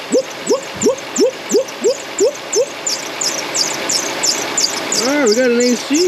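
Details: 2004 Toyota Sienna, over 150k miles, with a major belt noise: rhythmic squeaky chirps about three a second, then a wavering squeal as the belt slips on an AC compressor starting to seize; belt deflection and tension correct.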